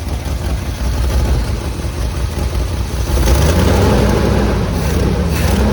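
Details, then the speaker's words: 1978 Chevy K20 4x4 Camper Special, restarted after cooling down: a deep steady rumble that swells with a throttle blip and settles back. The idle is much smoother and the smoking has stopped, though not yet perfect. "much better wow wow that's incredible this engine is coming around it's not perfect but it is coming around i mean it's running so much better"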